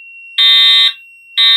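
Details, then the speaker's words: Fire alarm system test activated from a pull station: a constant high whine between loud horn blasts as the strobe charges and squeals but never flashes; strobe charging whine, strobe not flashing. "look at that no sir isn't that wonderful at this this device you can hear it the strobes charging it's squealing it's trying so desperately"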